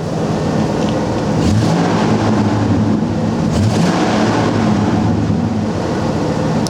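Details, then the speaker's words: A 1996 Ford F250 XL 4WD pickup runs with a deep steady rumble and revs cleanly twice through its exhaust, with no knocking, rattling or smoke: normal engine revving. "thing sounds good no knocking or rattling at all no sign of any smoke"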